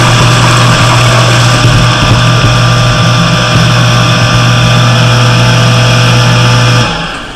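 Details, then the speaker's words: Cottage water pressure pump with foot valve in the lake, primed using a submersible pump, filters not yet fitted: steady constant-pitch low hum, then clean stop as pressure switch cuts out; normal run. "should cut cut off that means that everything is working up to here"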